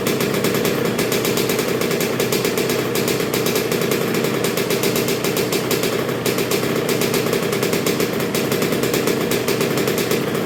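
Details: 1986 Honda CR125R two-stroke, new .060-over Wiseco top end, during break-in heat cycles with Keihin PJ carburetor: sharp, crisp crackle holding a steady fast beat, no misses or rattles; healthy.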